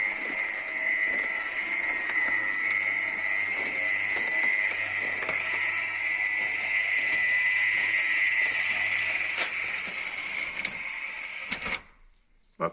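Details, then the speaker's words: Becker R12/17 RP+ tubular motor (2010, about 10 years' use) in a Compobaie shutter, after capacitor replacement: steady high whine with light even ticking for about twelve seconds, then a clean stop at the limit by itself; normal run. "ça fonctionne moteur est beaucoup plus silencieux terrain on ne va pas les claquements"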